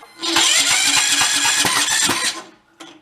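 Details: About 20-year-old Cub Cadet riding mower, throttle in the middle: short cranking burst with ragged, uneven chuffs that stall and fight back against the starter; sheared flywheel key throwing timing off, some smoke suggesting possible blown head gasket.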